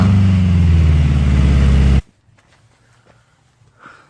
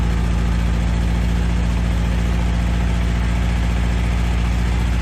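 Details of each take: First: Toyota AE86 with a new muffler only resting on an oversized fitting, with gasket maker applied to help it seal and propped on a jack stand. Very loud, deep, throbbing idle before shutoff: loud exhaust from an unsealed muffler. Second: Toyota AE86 with the exhaust mocked up; the tip is not yet final-welded. Smooth, even low idle burble with no puffing, ticking or rasp; nice and quiet: normal idle.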